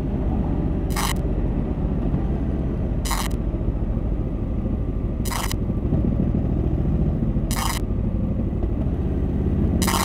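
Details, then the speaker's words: Recording from a DJI Action 3 camera riding a Honda NT 1100: short high chirps about every two seconds over steady road rumble. It is a camera recording fault, later fixed under warranty, not a bike noise. "the DJI action 3 developed a bit of a fault I'll insert it now that you'll have a listen"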